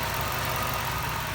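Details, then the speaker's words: 1998 Jeep Wrangler TJ with swapped-in 5.3 LM7 V8 from a 2003 Tahoe, idling near the engine bay while untidy vacuum lines are shown; even, settled idle with a steady low beat and constant hiss, no tapping or stumble. Normal idle. "I'm driving it to work tomorrow so see how that goes but here it is running"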